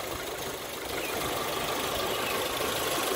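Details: 1996 Geo Tracker idling after the old free-spinning radiator fan clutch was replaced to cure overheating at idle: strong steady fan air rush over an even idle, no labouring or knock; fixed, about twice the airflow.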